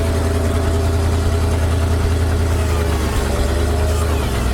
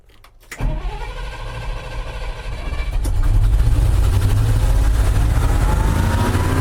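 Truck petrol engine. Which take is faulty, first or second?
second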